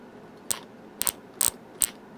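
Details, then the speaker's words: Christmas light set plugged into a commercial zap box with a bulb missing: four sharp crackling snaps about half a second apart over a quiet hum, arcing at the empty bulb socket, the fault to fix. "here at arcing so that's the one you want to fix"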